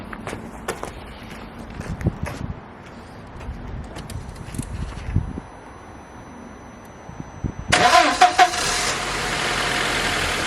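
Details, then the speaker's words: 1999 barn-find car with 70,000 miles, started after the owner's own work under it: catches for about a second with a rough burst, then cuts out; unmetered air leak from an intake hose left disconnected. "it turned over for a sec and then just like cut out I hope I've not done something wrong mechanic"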